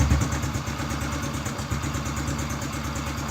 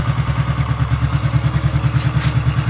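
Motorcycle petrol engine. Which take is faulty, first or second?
second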